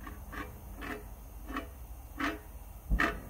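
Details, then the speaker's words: Subaru rear hub bearing, removed after a roaring noise while driving: turned by hand, it gives short dry rasping bursts, the gritty sound of a worn bearing. "you hear how gritty and bearing sounds"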